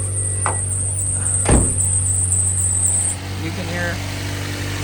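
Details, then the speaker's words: Toyota Yaris with weak battery and low alternator charging, just after refitting the alternator and tensioning the belt: thin high-pitched squeal over a smooth idle for about three seconds, then stops; belt tension may need further adjustment. "Now I'm just gonna start the car. There you go. Yeah, the belt's kind of squeaking."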